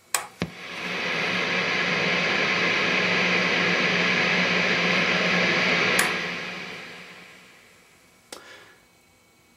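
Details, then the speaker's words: Hughes & Kettner Switchblade 50 W amp at 0 dB, about quarter volume, guitar volume rolled fully down: steady bright hiss over low hum rising as standby flips off. This is normal high-gain system noise with no guitar. "I'm going to flick off the standby here and you'll hear the noise also the guitars volume is rolled all the way down so this is just the system noise no guitar"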